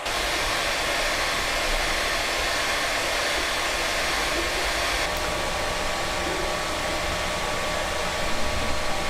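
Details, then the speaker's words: Creality Ender 3 V2 3D printer during its first print: steady fan whoosh from all around, including the bottom, with a faint high tone; no stepper driver noise, knocks or grinding; running normally. "the printer is quite quiet except for the fans so you can hear there's no stepper driver noise but there is quite a bit of fan noise and that's coming from all around including the bottom"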